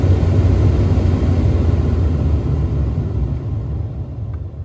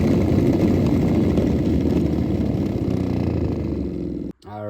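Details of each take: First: 2013 Ford F-150 after replacement of the noisy blower motor with a new aftermarket unit, running at full speed: smooth, low, steady air rush with no squeal, rattle or ticking. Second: 2013 Ford F-150 blower motor, heard in place with the fan switched on: steady loud whirring rattle with a quick tick about four times a second; bearing or motor assembly is loose, broken piece found inside, being replaced.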